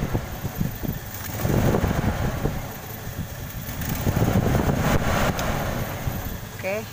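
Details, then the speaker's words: Toyota Kijang Krista 5K/7K carbureted engine before repair, complaint of stumbling and lacking power: lumpy, uneven idle with irregular stumbling beat, one cylinder dead; misfire. "Bisa kencang item ya alurnya agak pincang nih"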